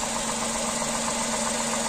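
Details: Tata Tiago three-cylinder engine idling, bonnet open, showing its vibration: a steady, slightly throbbing idle with an even low hum and no knocks. Normal three-cylinder idle vibration.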